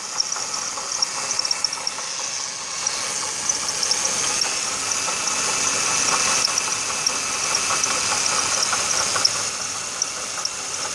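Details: 2006 Ford Taurus 3.0L Vulcan, about 130k miles, idling, heard in the engine bay: irregular high chirps and a faint grumbly knock from a failing water pump bearing with no leaks; replacing the pump fixed it.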